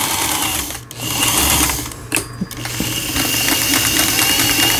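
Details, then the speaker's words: Elna 318 sewing machine (same as a Janome model), repaired after the whole machine had seized from a jammed upper cam-follower gearbox; stitch length set to 4, running disassembled, internals only. Quick, even stitching chatter in short runs with brief stops, overlap stitch pattern. Stitches normally after repair. "그 다음에 C, 요거는 이제 삼중겹 지그재그라는 거고, 요 오버럭 스티치 각종 기능들 정상적으로 작동되고 있습니다."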